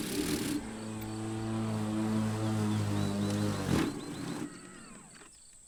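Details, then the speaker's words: Electric mower/dethatcher lowered about an inch from its usual 2.5 in in very thick renovation grass: motor hum sags as blades bog, then drops out abruptly; motor cuts out under load, unlike gas. "the difference is I think with gas too is that you can hear the motor on here when it starts to catch it just cuts the motor off"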